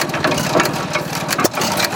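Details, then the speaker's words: Old stationary engine with Ford script spark plug and magneto, hand-cranked start, with a water line: steady chuffing beat with light mechanical clatter at an even pace; running smoothly at rated speed. "Wow. It is running at rated speed, and I'm not going to touch anything on it."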